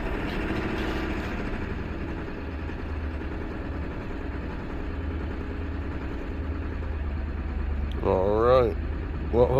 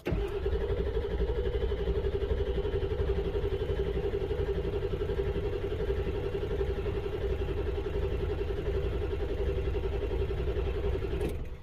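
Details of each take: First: 1999 Ford F-250 7.3 Power Stroke diesel after repairs: steady, even diesel clatter at idle with no stumbling or dying out; runs smoothly and stays running. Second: 1999 Ford F-250 7.3 Power Stroke diesel, codes P1211, P1212 and P0340, cranked on a battery charger: steady cranking at about four turns a second for over ten seconds without catching; ICP reaches only about 265 with IPR maxed, low injection control pressure.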